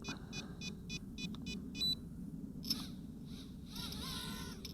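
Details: JJRC H20C micro hexacopter drone; after switching the drone on, the transmitter is turned on and bound: a run of short, evenly spaced high beeps then quiet hiss, normal binding.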